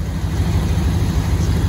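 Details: 1999 Dodge Ram 1500 5.2 L V8 automatic after cleaning the idle air control valve that caused stalling: steady even low rumble, no dips, surges or stumbling; smooth, stable idle.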